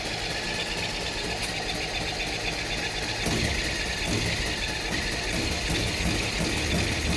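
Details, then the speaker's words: Mini NASCAR go-kart, after draining water from the gas and carburetor: catches and runs raggedly for a few seconds, beat wavering and fading as if fuel-starved, then dies; no longer flooding. "So close. It's not flooding out this time."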